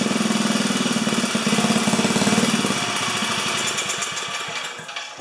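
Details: 4HP horizontal Briggs & Stratton single-cylinder, no throttle cable: it pops along in a quick uneven beat, then sags and dies away. Throttle responds only partly.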